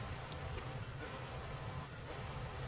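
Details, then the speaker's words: Honda Fit idling: low, uneven idle with irregular dips from a cylinder 1 misfire, traced to a faulty coil pack and possibly a damaged coil connector wiring; coil later swapped. "right so that is a misfire um on cylinder one is that's happening there that's causing that um variation in idling"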